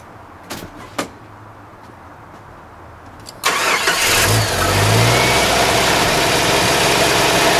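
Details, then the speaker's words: 1989 Jeep YJ after new spark plugs and wires (old ones cooked): cold start, a couple of clicks, brief crank, fires and settles into steady even idle, no misses. "We're all rewired, and I guess now it's time for a greasy, grimy old cold start."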